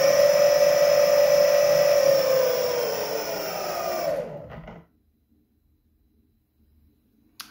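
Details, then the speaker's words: Meepo electric skateboard refitted with BoundMotor direct-drive motors running sensorless, wheel spinning down: falling motor whine with a rough, gritty undertone, wheel stops within a second or two; owner suspects bad, very stiff bearings. Not confirmed. "and low speed you can hear some of the noise and you and you can see it wobble"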